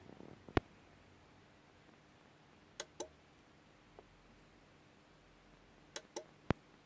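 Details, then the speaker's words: CTEK MXS 7.0 charger on AGM setting charging an AGM battery, heard in a quiet room: sharp, irregular clicks inside the charger, some in quick pairs; owner unsure of the cause and wonders if it is the desulfation process. "I've got it on the AGM setting but some reason it sounds like there's just a really clicking back and forward inside the charger"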